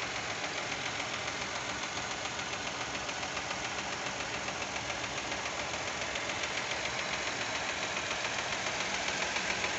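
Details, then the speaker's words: Warm 2023 Fiat Argo 1.0 Firefly engine at idle: light, even tick about 3.5 per second over a quiet idle, like lifter tap; owner finds it odd and suspects it shouldn't happen, cause unconfirmed. "faz aquele barulho de pulso mecânico né eu acho que não deveria fazer esse barulho"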